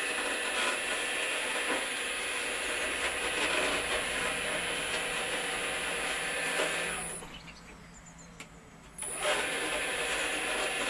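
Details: Gejs stoker pellet boiler auger; continuous steady mechanical whirr with light regular ticking, briefly dropping away then resuming evenly: auger running freely.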